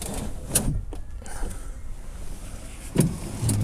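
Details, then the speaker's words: 2005 vehicle, about 130,000 miles; power window switch pressed, a few clicks and short strained motor hum with no glass travel; motor runs but the window regulator cable is broken. "it's definitely trying I can hear the motor trying"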